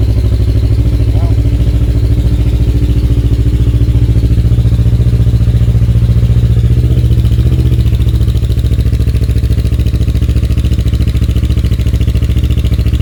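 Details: Kawasaki KLE 650 A7 twin, 30,000 miles, auction bike, in neutral: strong even low thrum at steady idle, no stumbling or clatter; running cleanly, exhaust very loud lacking its baffle.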